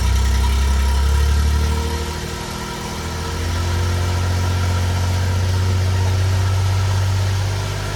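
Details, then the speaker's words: 1993 Suzuki Carry mini truck at cold high idle before the exhaust replacement: a loud, raspy, booming drone with steady low pulsing through the straight muffler, which barely quiets it; the exhaust sounds terrible. "as you can hear it sounds pretty terrible straight muffler gonna see it right in there pretty bad it's kind of high idling right now because it's pretty cold where I'm at"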